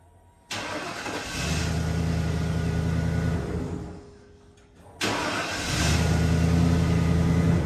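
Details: 1995 Ford F150 in a repeated start-stop test done 10 times: a brief crank, it catches cleanly, shuts off and fires again quickly, so starting is healthy.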